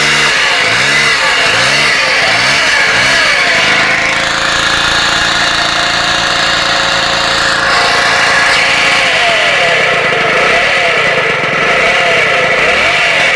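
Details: Vespa Piaggio Ciao two-stroke moped revving up and down with a thin, shrill whine that climbs with revs, like a vacuum cleaner; cause unclear.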